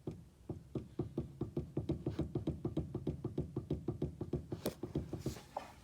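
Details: 2010 Nissan Maxima steering rack and pinion making dull clunks, about three a second, as the wheel is turned quickly back and forth; steering wheel also has play, suspected loose rack.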